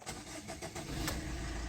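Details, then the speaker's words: Suzuki Swift Dzire that stalled while driving, after a failed high-pressure fuel pump was replaced with a second-hand pump: the engine catches quickly and settles into a steady, low, even idle without stumbling, a normal start. "Okay. So வண்டி start ஆகிடுச்சு."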